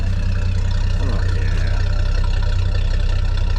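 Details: 1981 Ford truck 4.9L inline six, cold start after 2-barrel carb conversion with new head gasket, rod bearings, oil pump, pushrods and cleaned lifters: a steady, even low hum with no knocks or misses. Normal idle.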